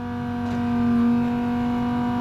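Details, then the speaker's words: Land Rover Discovery Td5 diesel with the key on, during a diesel leak hunt near the fuel filter: a steady, fairly loud whine at one pitch. Thought to be a noisy fuel pump, which is suspected rather than confirmed. "yeah it's got to be a noisy fuel pump you might see with the fuel pump"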